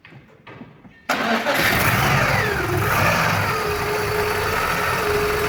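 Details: Engine cranks, catches after a second and settles into a steady, even idle with no knocks or ticks, just after timing belt, tensioner/idler bearings and V-belt replacement with timing marks aligned; normal start and idle.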